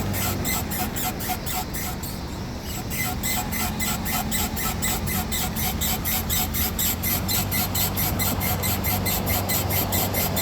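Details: Rapid, high chirping squeak about four times a second over the low rumble of a moving 2008 Nissan Rogue, occurring mostly during turns; cause unknown.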